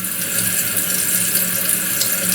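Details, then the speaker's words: Toilet keeps running after flush: continuous hiss of water into tank never stopping; float not rising fully, flow adjustment fine, water leaks through fill valve; Kohler 83143 seal diaphragm to be replaced. "it will raise that off but the problem is it's not raising it up all the way so you can say well maybe it's the flow down here is not adjusted properly but it is because the water just leaks a little bit there's a leakage"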